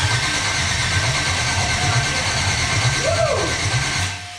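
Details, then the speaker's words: First crank of the LUV build engine on the factory LUV ignition switch using factory wiring, with the ECM temporarily wired in and fresh oil: the starter turns it over with a steady, even, strong rhythmic chug but it does not fire, a healthy crank. "Yes! It cranks over from the factory LS ignition."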